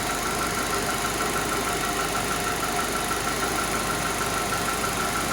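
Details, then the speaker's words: Chevrolet Meriva 1.8 GM petrol engine idling with a light, steady ticking of about three beats a second; mechanics variously suspect camshaft, lifter or piston slap, not confirmed. "Isso aqui é o Meriva 1.8. Tá com esse barulhinho aí, não sei se vocês conseguem ouvir,"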